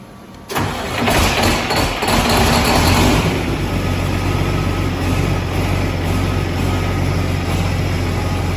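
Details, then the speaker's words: Detroit Series 60 diesel swapped into a truck, first start after priming fuel, no coolant: cranks and catches, settles into steady idle with slight uneven popping as air purges from the fuel system; otherwise sound. "But we got her primed up, fuel's in the system, and uh she cracked off. You hear it kind of a little farting and this and that as it works some air and some things through."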